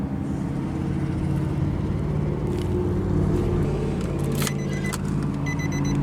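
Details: 2012 Nissan Xterra S, 4.0L V6, just after start-up: smooth, steady low idle with an even beat and no ticks or knocks, slight key jingle on top; healthy idle.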